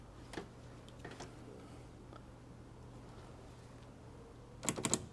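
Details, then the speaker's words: 1981–1991 Mercedes (W123/R107/W126) heater monovalve solenoid bench-tested with 12 volts across its pins: crisp, strong clicks as valve opens and closes, ending in a quick cluster; solenoid healthy, normal operation. "Click, click. Okay, that sounds healthy. Nice strong click. Good, that means the solenoid's okay."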